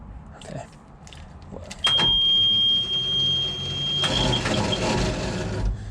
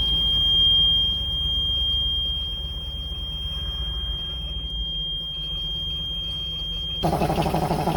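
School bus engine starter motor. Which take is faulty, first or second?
first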